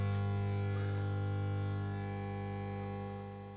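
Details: Burson Conductor Virtuoso headphone amp/DAC on 230 V 50 Hz, via preamp output into Yamaha amplifier: steady low mains-frequency buzz with faint overtones, no music; electrical noise, owner suspects poor internal noise filtering.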